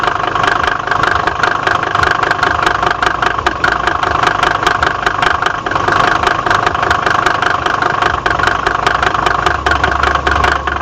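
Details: Mercedes OM605 diesel at steady idle with a hard, regular knock about two and a half times per second over the clatter; cause of the knock undetermined.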